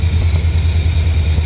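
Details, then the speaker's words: 1977-80 C3 Corvette, carbureted, new idle stop solenoid installed to hold idle with AC on (AC had bogged the motor): steady, low rumble holding an even idle with compressor engaged, no hunting or stumbling. "I turned on the AC it started to bog the motor then I flipped the throttle you can see our solenoid is doing its job now watch the compressor the compressor is on right"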